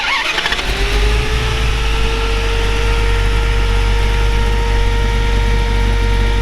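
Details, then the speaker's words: 1928 Dodge Brothers 3W coupe with Mopar V8, short-tube headers, new fuel pump, overhauled carburetor and fresh fuel: starter catches, V8 fires right up and settles into steady even idle with faint whine; normal start and idle. "I'm going to fire it up here in just a second, kind of give you a feel. I should be able to reach right in and fire this old girl up."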